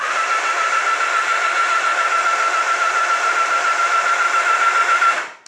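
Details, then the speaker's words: Honda Nighthawk being revived, in neutral with spark plugs out: steady, even starter whirring for about five seconds, engine spinning freely to circulate old oil and build oil pressure; healthy normal cranking. "Anyway, so now I'm just going to see if the starter kicks over at all. Okay, that sounds really healthy actually."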